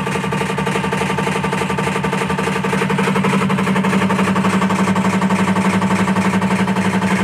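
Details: IFB top-load washing machine: loud, even rattle about four beats per second over motor hum, swelling slightly; cause not identified.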